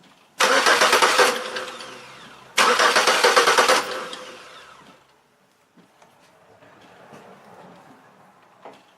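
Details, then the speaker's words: Chevrolet Malibu cranks but won't start after crank sensor cleaning: two short one-second bursts of quick, even cranking, never catches. No spark, fuel present; crank sensor suspected, unconfirmed. "let's see if it'll start and go from there missions she's not starting again I clean that out could be a crate could be a crank"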